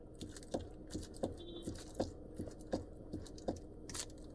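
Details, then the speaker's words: Chevrolet Onix Plus (aspirated or turbo three-cylinder): hollow clunks about once a second that sound like a blown shock absorber or stabilizer link, actually from loose steering column bolts; fix is retightening the 11 bolt and the upper column bolt. "ele faz um barulho é muito parecido com amortecedor estourado ou até mesmo bieleta tá"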